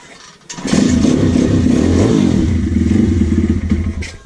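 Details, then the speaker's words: Apollo 150 YX V3 single-cylinder pit bike with a new crankcase, restarted with the choke off; the owner suspects a metallic noise comes from the ignition, an earlier rattle came from the footpeg. It idles steadily and cleanly, with no rattle or misfire. "Là pour le moment, franchement, elle tourne comme une horloge. Elle tient le ralenti, elle est propre."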